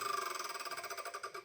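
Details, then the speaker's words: 20-year-old Rancilio Rocky doserless espresso grinder, reassembled after cleaning, set to the zero point: harsh, rapidly pulsing metallic squeal fading as it winds down, as the two burrs touch. "As mentioned previously, where the two burrs, when the two burrs are touching, they will do an awful sound like this."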